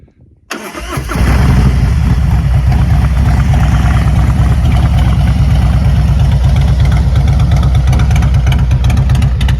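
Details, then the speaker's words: 2023 Harley-Davidson Road Glide ST 117 with Zippers 468 cam, ThunderMax, SBT exhaust and high-flow breather: a quick crank and fire, then a loud, lumpy V-twin idle with a firm, even beat and no mechanical clatter; healthy. "That's the SBT bullies with the S&S 2 and the 1 and the 2 headers, the 468 cam, high flow breather, ThunderMax, and 117 motor."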